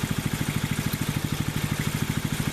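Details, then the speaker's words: Rebuilt water-seized 6.5HP Predator Honda-clone single on a Baja Warrior minibike: even steady thumping about ten beats a second, no missed beats or knock; normal smooth idle, not smoking. "So that was kind of interesting, but you guys could see it's sitting there idling away. It's not smoking. It seems to be a happy little motor, which is good."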